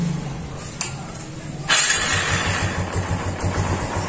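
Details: Kawasaki Barako 175 motorcycle after fixing its hard starting and fuel overflow: engine catches on the first try and settles into a steady, even idle, a little over three beats per second, with no stumbling.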